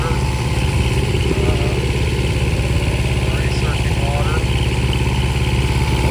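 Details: Restored long-stored 6.5 kW gas Kohler marine genset from a houseboat, bench run with bucket water pickup at about 30°F; steady even regular chugging, no knocks or misses, idling healthy.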